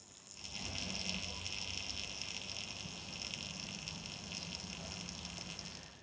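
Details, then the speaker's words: Small AliExpress grid-tie solar inverter with damaged second-hand panel, circuit just switched on, light green, mic placed on inverter: steady high-pitched hiss and buzz with faint shrill tone at low panel output; owner assumes it may not buzz at full rated power. "Honestly, that is a little bit of an unnerving, uncomfortable sound that it is making."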